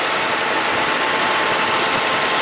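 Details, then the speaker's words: Toyota Highlander (2003 or 2007) idling after charging-system repair, 14.1 V and 20 A charging, headlights, fan and AC on: even steady hiss, no squeal or grinding from the belt side; quiet, normal idle. "and our voltage is 14.1 beautiful nice and quiet should uh last another 10 years or so"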